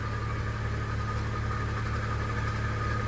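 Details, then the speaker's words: BMW N54 with recent misfires, belt drive parts all replaced: engine idling with a steady thin whirring from the front end belt drive area, louder from a distance than up close; cause unknown. "You can kind of hear it whirling. As long as it doesn't cause an issue, I don't really care."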